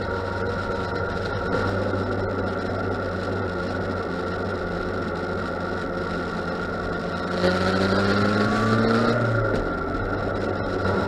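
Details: 2006 Yamaha FZ1 revving in neutral: engine note wavers and hunts instead of holding steady, revs drop out around 2,000–3,000 rpm and jump on shifts below 3,000; owner suspects TPS or ignition coil, unconfirmed. Engine speed fluctuation/stutter.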